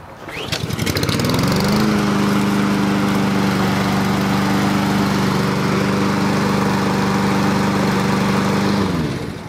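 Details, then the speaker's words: Husqvarna push mower small engine with auto choke, long-sitting, started after a shot of carburetor cleaner (carb not thought dirty): quick pull then steady even drone, constant pitch, no misses or knocks; normal running. "i don't think that carburetor was dirty i think it just has been sitting a long time and a little bit of carb cleaner was able to help it kick into gear here"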